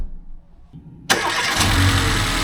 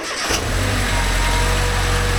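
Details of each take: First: 2009 Mercedes B150, 221,000 km, after roadside replacement of a snapped belt following a rear crank seal leak repair: quick crank, clean catch, smooth steady idle with no squeal or chirp; quiet, normal start and idle, fixed. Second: 2009 Mercedes B-Class B150 with 221,000 km, after engine work and a snapped belt: engine idles with a thin steady whine, traced to the idler pulley/roller, so the pulley assembly will be replaced.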